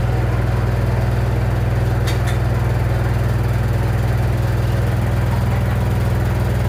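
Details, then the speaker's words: Washer-dryer running with a heavy low droning hum pulsing about four times a second, the whole machine shaking, noise traced to the side of the machine. "Olha aí, pessoal, a máquina fazendo barulho, ó."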